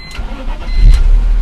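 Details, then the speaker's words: BMW E46 323 after fuel pump replacement, following earlier head gasket work; a short crank, then it fires immediately and settles to a steady, even idle. Starts right up, fixed; normal start. "yep starts right up"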